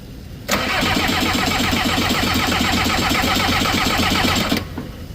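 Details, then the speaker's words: Skid loader diesel in cold weather with air in the fuel system cranks steadily for about four seconds and never catches. Little fuel reaches the top side of the injector, so the system needs bleeding. "Alright, hold up. This one's not getting a lot of fuel to the top side of the injector."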